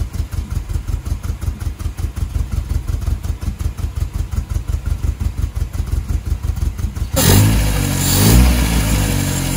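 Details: 1978 MGB after carburetor rebuild, choke and piston orientation corrected, after about 30 years parked: about seven seconds of steady cranking at roughly three pulses a second, then catches cleanly into an even idle; healthy start.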